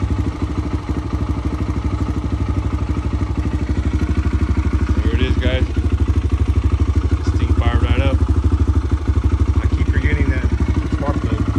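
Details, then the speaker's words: 2009 Kawasaki KLX 140 single-cylinder dirt bike, sat about two years, running after fixing an unplugged spark plug: steady thumping at about three beats a second with a quick rev, crisp and even; runs well. "it sounds like it runs pretty good though I just got to clean it up now put the Plastics on there and clean it up"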